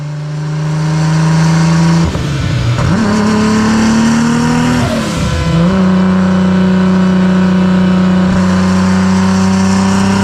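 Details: Toyota Supra on a dyno: hard revving under full load that twice sags and stumbles before pulling back up. The engine then failed, with a wrist pin pushed out and a possible loose main cap or bent rod.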